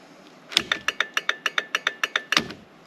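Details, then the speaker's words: 2003 Jeep Wrangler after turn signal switch replacement, left signal on with one bulb still out: crisp, even flasher ticks about three a second for roughly two seconds, clean and steady. "Okay, so, oh, it's loud. Left. Oh, much better. Much better."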